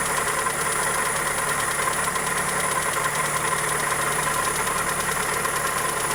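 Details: Toyota Corolla EE90 with 2E engine at idle: fast light tick over a steady idle, keeping time with engine speed; suspected valvetrain or connecting rod, source not confirmed.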